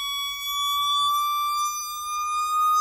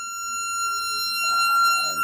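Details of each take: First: Jensen V21 upper horn driver bench-tested on a Leslie 22H amp while the organ note changes: clean, pure steady tone gliding slightly upward, no buzz or rattle; the driver sounds good. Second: Jensen V21 upper driver on a Leslie 21/22 test station with a 22H amp, volume turned up while changing frequency: a steady test tone, then a buzzy rattle joins; the speaker rattles, possibly the bass woofer coming in (uncertain).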